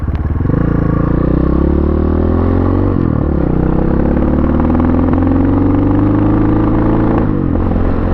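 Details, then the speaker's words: Pitsterpro XTR250 single-cylinder bike on first ride, bogging in first gear, idling in a parking lot: idle sags and catches irregularly, stumbling; owner suspects it needs carburetor work or has old fuel, not confirmed. "i'm gonna pull into this parking lot and look at it yeah it's on but um it's a stump it's like stumbling a bit in the uh the carburetor wow that sounds terrible"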